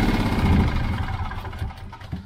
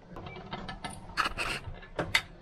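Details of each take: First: Petrol generator that began running rough and dying, after flooding; carboned spark plug (possibly running rich) reinstalled: uneven, lumpy running that wavers and sags; still not right, owner suspects a fuel problem; rough running engine. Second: Old petrol generator after fix, fine cotton mesh temporarily fitted in place of the clogged paper air filter: catches after handling noise and settles into a steady, even drone, no misses or surging; owner suspects it may be due for rings or valve seals.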